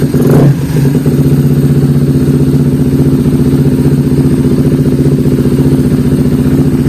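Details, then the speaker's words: Honda CBR150 FI (Thailand) after throttle body cleaning and tune-up: catches at once with a quick blip, then settles into a steady, even idle thump with no knocks or stumbles; runs healthy. "Oke, langsung menyala, boom. Kedengarannya bagus."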